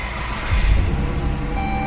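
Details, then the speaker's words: 2012 Dodge Caravan, cold engine, after wiring repair at engine coolant temperature sensor connector and VIN entry clearing security lamp: deep rumble catches about half a second in and settles into steady cold idle; starts normally, check engine and traction lights on. "اشتغلت السياره والوضع طبيعي"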